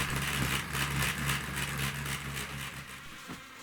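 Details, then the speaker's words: 2012 Hornby Class 60 model locomotive, EWS livery: buzzy, pulsing whirr of about four beats a second fading as it slows; lifting each bogie shows noise comes from one bogie's gears. "so I then ran it along and just lifted each bogey off and as you can see it goes quiet with that but when I do the other end um yes it makes a noise so it's that bogey isn't it"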